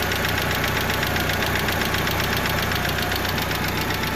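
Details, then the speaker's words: 1995 Mitsubishi Eclipse GST idling after clutch replacement: fast, light, regular tick about four per second over a steady idle; owner suspects lifter (lash adjuster) tick from the top end, possibly from low or bad oil; unconfirmed. "But yeah, it sounds like I got a little bit of a lifter tick, and those are called lash adjusters."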